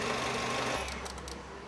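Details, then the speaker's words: Renault Clio: running engine suddenly cuts off, then rapid sharp clicks as the main power relay switches on and off by itself; engine randomly dies as if ignition turned off, traced to a faulty ECU. "Ele liga, desliga, ele fica armando e desarmando sozinho. O relé de potência fica aqui, nessa caixa."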